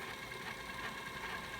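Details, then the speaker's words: Sanyo VTC6500 VCR with tape sensor switch bypassed, E-750 cassette: steady even motor whirr with light high hiss, no grinding or squeal; normal fast forward. "is also working"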